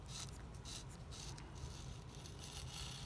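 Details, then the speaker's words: Mercedes 190SL steering gearbox on the bench, badly rusted and barely moving, turned by hand: rough, uneven scraping grind in bursts from rust inside; it had been cranked down too hard on the tapered-bearing preload. "serious amount of rust so let's see if we can take this apart kind of hard to do with the camera in the way let's get over here you can hear the rust grinding in"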